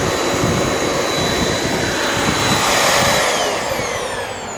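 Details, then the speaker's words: Very old Shark NV22 upright vacuum on position 1, hair-clogged brush roll not broken: strong, even rushing whir with steady high whine easing as it winds down; motor and brush roll work, possible leak elsewhere; normal operation. "So it works. I mean, maybe there's a leak somewhere else, but brush roll spins and the motor turns. Doesn't sound too bad."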